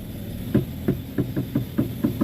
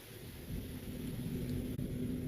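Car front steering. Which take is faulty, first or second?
first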